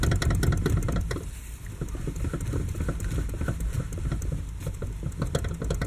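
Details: Lada Kalina, 6 years old, steering wheel rocked quickly: fast, irregular clunks and knocks, about four per second. The loudest, clearest knock is from the electric power steering and the rest from the steering rack; U-joints have slight play but don't rattle.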